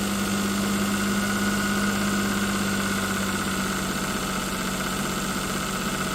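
Steady idle carrying a fixed droning hum and a fast, fairly even tick near 200 a minute; something abnormal, cause not pinned down.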